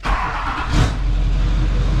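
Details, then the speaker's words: LBZ Duramax diesel swapped into a truck, first start: catches and settles into a steady, even diesel run with a brief rev rise, no odd knocks; runs, though fuel pours out underneath, suspected injector return line. "oh she's running she's running"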